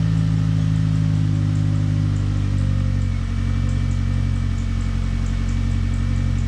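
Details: 2000 Ford Focus ZTS with a replacement engine swapped in from a van, first start of the day but not fully cold: steady, even low idle with no knocks or misses; slight squeak the owner suspects is the alternator.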